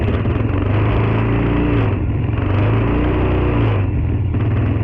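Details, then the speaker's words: Tao Tao 110cc ATV quad after fitting a replacement carburetor and new intake, choke partly on, started off a jump pack: a small single settles into a steady, even putter with a smooth low exhaust note and no misfires; it breathes and runs better than the old carb. "sounds a lot better than the old uh carb that I had in there obviously better intake is breathing better"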